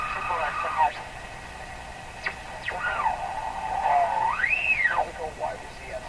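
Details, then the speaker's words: Canadian Spartan Model 5542 tube radio after replacing volume-control output and AVC capacitors: whistling tones sliding in pitch over a faint station; heterodyne, suspected oscillation in the IF circuits or regenerative feedback. "so I'm pretty sure there's an oscillation rate in the if circuits they are producing their own tone I believe and what you're hearing is the hetr dining between internal oscillation you cannot hear and another similar signal coming up frequency"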